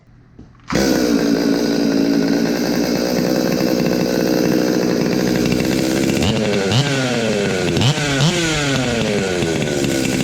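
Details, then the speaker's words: Stihl MS 200T chainsaw just after first port and muffler mod, good compression, no chain fitted: fires straight up to crisp steady high idle, then clean sharp revs rising and falling quickly. Normal running. "I just couldn't wait to fire it up I had to test it out it's uh it's gonna be awesome"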